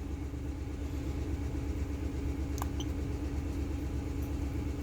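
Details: Ford Expedition 5.4 V8 idling after coil pack replacement, with the scanner showing no codes and all monitors okay: low, steady idle with an even pulse and no stumble or miss; idling smoothly.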